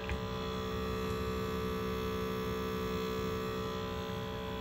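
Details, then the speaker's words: Cassette deck that won't play and has no display, at power-on: constant low motor hum with a faint rapid flutter; the mode motor is trying to cycle the mechanism because the mode belt is missing. "you are hearing is the sound of a mode belt that is no longer there. The mode motor is trying to cycle the mechanism and can't."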